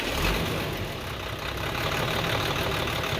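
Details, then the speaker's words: Hino truck H07D diesel that suddenly developed an engine noise, typically from a broken piston liner, after repair: a steady, even idle with accelerator blips and no knock or tapping. The noise is cleared and the engine sounds healthy. "तो माशाल्लाह एक्सीलेटर दो। माशाल्लाह क्लियर हो चुका है।"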